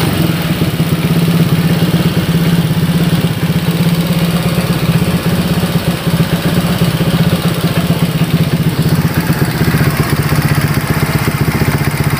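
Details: Honda Vario 150 keyless scooter that suddenly died and would not start (fuel pump pressure normal, about 40), after repair with radiator coolant refilled: steady, even putter at idle, no tapping or rattles; healthy.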